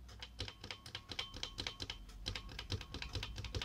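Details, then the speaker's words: 1986 Apple M0110A keyboard with Alps SKCC tall cream switches; pressing a loose switch gives a high thin ring, much louder ping than later SKCL switches, partly due to the chassis; keyboard switch ping. "even just pressing the loose switch gives out a quite noticeable ping much much louder than the later skcl switches even though some skcl boards also ping quite loudly as well"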